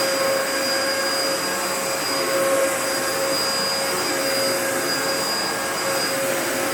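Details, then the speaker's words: 2004 Dyson DC14 Animal vacuum, repaired and running first time with new HEPA filter: a steady, even roar with a faint constant high whistle, no surging or rattles; runs normally. "I fixed it up and it works pretty well so you know why don't we take it for a bit of a test run and we'll see how it runs"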